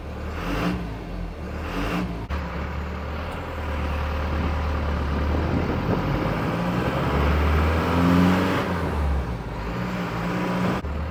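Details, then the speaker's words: Cummins 4BT four-cylinder diesel swapped into a Jeep LJ, after cold start: heavy rattle at idle with a few throttle blips rising and falling cleanly; typical healthy 4BT diesel clatter. "You guys are either gonna love this sound or you're gonna hate it. If you're into diesels, you're gonna love this thing. Sounds great."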